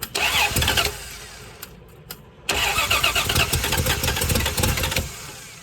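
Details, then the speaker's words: 1978/79 Plymouth Volare wagon, out of a junkyard after four years, on the starter: it churns rhythmically, stumbles and nearly catches but won't run; distributor cap not fully seated, new throttle already ordered; ignition fault suspected, unconfirmed. "it almost busted off there you already I don't have the distributor cap on all the way I can't get it to sit in there"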